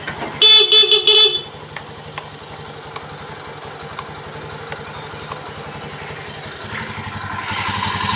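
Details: Honda Beat ESP/POP fuel-injected scooter, after fixing a faulty fuse-box connector and broken wires that caused total electrical failure and no ignition; a few horn toots, then a quiet, even idle that picks up near the end, running normally.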